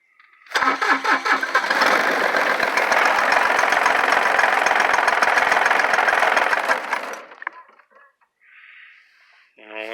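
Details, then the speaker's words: GC1720 tractor that ran about four minutes while loading wood, then died and won't start again, with plenty of gas: engine catches, runs rough and uneven for a few seconds, then fades and dies; cause not evident. "left it running however long it takes that to fill four minutes once I went to go take off it died"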